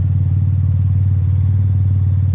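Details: Cadillac CTS 3.6 LFX turbo build after teardown (LF4 rod bearings, King mains, +15% cam, 3800-4000 stall converter), exhaust dumped: loud deep even idle, steady with no ticks or misfires; small V-band leak noted; normal idle.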